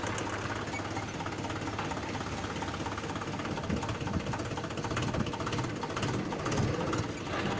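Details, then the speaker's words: Mahindra 575 DI MKM diesel tractor after clutch repair, driven to check: diesel clatters evenly at low speed as the clutch comes in, no grinding or whirring; the earlier clutch noise is gone, engagement is healthy. "इसमें अब आवाज़ बिल्कुल भी नहीं है, ये बिल्कुल स्वस्थ हो गया है। अब ये बिल्कुल सही है, इसमें कोई प्रॉब्लम नहीं"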